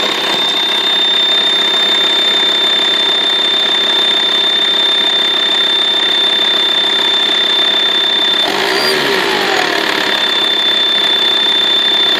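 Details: VW T5 2.5 TDI AXD, 240,000 km, A/C compressor belt removed: thin, steady high whistle over the diesel idle, briefly dropping out then returning, only with a hot engine and only at idle; source unknown, owner suspects turbo.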